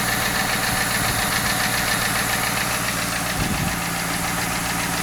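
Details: 1995 Lincoln Mark VIII LSC, Ford 4.6 DOHC Modular V8, steady idle: quick, fairly even tapping about three to four per second; owner unsure whether lash adjuster tap or piston slap/rod knock.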